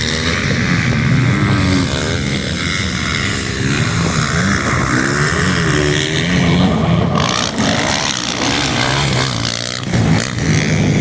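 Strong steady thump with clean revs rising and settling, no knocks or rattles; this four-stroke runs healthy.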